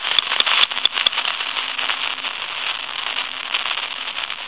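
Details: Elephant brass telephone with an old T1 carbon transmitter: five sharp dial clicks then steady crackling hiss over faint hum in the handset, static caused by the aging transmitter, before replacement.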